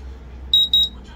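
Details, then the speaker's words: Smart battery charger with emergency stop, cable temperature sensor heated under a lamp: two short high-pitched beeps as charger auto-cuts power for overheating; overheat alarm. "so auto charge out siya first charge out kasi nagoverheat"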